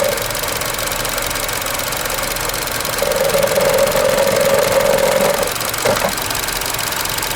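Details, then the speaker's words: 2012 Chevy Cruze Eco EcoTec, 156,000 miles: an even, soft, quiet idle with a faint high whistle and no knock or miss. Normal. "Hear how quiet that motor is?"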